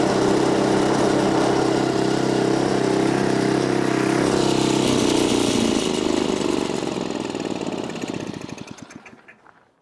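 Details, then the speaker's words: Neglected Craftsman snowblower, small single-cylinder, in cold weather after being flooded: runs steady and strong, then slows and stops cleanly with no misfire or knock. Normal running. "all right so the motor's fine I think I just flooded it when I toed it back that's it it's fine it starts fine"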